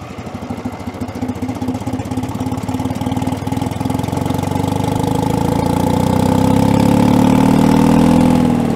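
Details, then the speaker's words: Allis-Chalmers track loader diesel, sat many years, moving in reverse: diesel climbs from lumpy idle to an unsteady roar, speed not holding; governor not governing well or fuel issue, owner leaning towards fuel. "so the governor does not appear to be governing too well or we have a fuel issue which I think I'm leaning towards a fuel issue"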